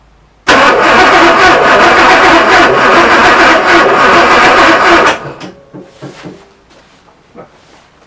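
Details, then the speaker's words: Porsche 928 first start attempt: about four and a half seconds of even cranking with no firing, fuel not reaching the engine; the pump then changes tone as it reaches pressure. "right that's got pressure now I can hear the fuel pumps changed its tone it's uh now at pressure right well I'm pretty sure there is enough fuel there now"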